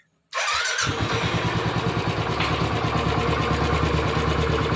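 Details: Royal Enfield 350 after a tappet-play adjustment (minimal play) and refitting the oil filter: the starter whirs, then it settles into an even single-cylinder thump about three beats a second with no tappet clatter. Noise is reduced about 75%; healthy idle.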